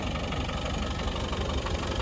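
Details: 1993 Land Rover Defender 90 200Tdi diesel, just started: even diesel clatter at a steady idle with no misses or odd knocks, no blow-by, tiny smoke plume only on startup; normal idle.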